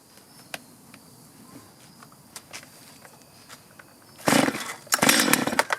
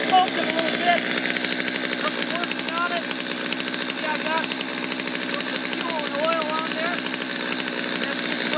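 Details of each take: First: Stihl chainsaw before repair, hard to restart after running: weak uneven idle with scattered pops, short revs stumbling and falling off instead of climbing; bogging from dirty, misadjusted carburetor needing cleaning and adjustment. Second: Stihl chainsaw that was hard to start and bogged, restarted on factory carburetor settings after a brief warm-up: fast crisp two-stroke rattle at steady pitch, no stumbling or dying, running cleanly.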